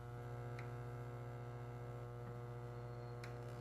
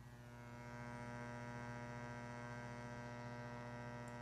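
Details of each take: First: Williams System 11A pinball machine, comparison to PinBot: low steady mains hum from speakers, noticeably quieter than PinBot's loud hum (PinBot soundboard capacitors suspected); normal background hum. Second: Williams PinBot pinball machine, microphone at the speaker while the game is running: loud, steady low hum with a buzzy edge, a hum that persists even with the volume all the way down; abnormal board-related amplifier hum, cause unknown.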